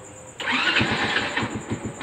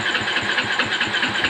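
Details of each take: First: Honda motorcycle with a newly installed hidden kill switch turned back on. A brief starter whirr, then the engine fires and holds a quick, even putter at idle; it starts and runs normally. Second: Honda motorcycle with a newly installed hidden kill switch turned off while the ignition key is on. The starter churns steadily at about eight pulses a second but the engine never fires because the kill switch cuts ignition.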